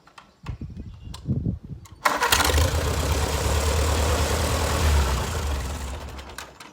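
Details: 1948 Farmall C tractor, after a round trip, fires right back up: short crank, then it catches at once and settles into a steady, even idle; normal, healthy start.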